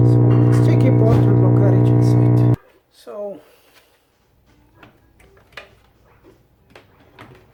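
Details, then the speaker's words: Vintage 1965 General Electric tube FM radio: loud steady low hum under the audio output, stopping when unplugged; owner suspects bad capacitors, not confirmed. "yeah from my experience most of the time that that noise and the radio is come from from my bed vessels"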